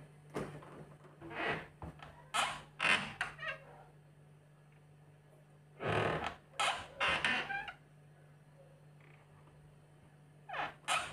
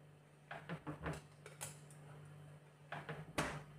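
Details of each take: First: Refrigerator middle door: loud squeaky creaks in clusters each time the door swings, over a faint hum; hinge creak, other doors silent. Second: Refrigerator door opens and shuts with soft thumps and a latch click, no creak, over a steady low hum.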